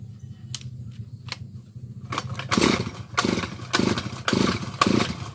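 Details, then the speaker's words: Grass cutter, has fuel and spark, dirty carburetor cleaned and primed with gasoline: repeated pull-cord rasps, brief ragged coughs about twice a second that die away, won't keep running; hard starting, fuel not flowing suspected. "Ayaw na naman. Ayaw pa rin naman pero sana pwede na to. Ulit na natin."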